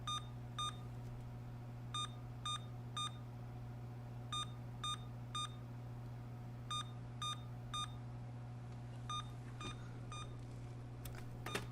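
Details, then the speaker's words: Emerson Elite SX386 computer with replacement memory fitted: groups of three short high beeps about every two and a half seconds over a steady hum; the owner reads this as a BIOS memory-error code, not confirmed. "all right now that seems like that's three short beeps which i thought was ram one long beep and three short beeps failure above the 64k mark three short beeps uh memory"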